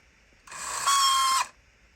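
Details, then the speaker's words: Vintage RC truck running unloaded: one-second high motor whine with harsh rattling buzz, like stripped gears skipping; owner suspects a damaged pinion gear or slipping gear. "it appears to work so I guess when it doesn't have any weight on it it does that it uh sounds like a strip in the gears"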